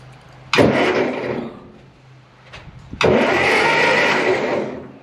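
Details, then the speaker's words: 1955 Ferguson TO-35 sitting a long time, in neutral with spark plugs removed: two bursts of quick, even starter whirring, engine spinning freely with no lumps; normal starter cranking after key switch and starter diagnostics. "that sounds pretty good too it doesn't have any lumps in it when it's going around remember I don't have any spark plugs in it"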